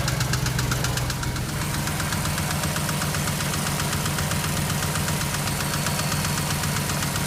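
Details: BMW X5 engine at idle: sharp regular ticking knock near four per second, standing out over the engine hum; cause not yet identified.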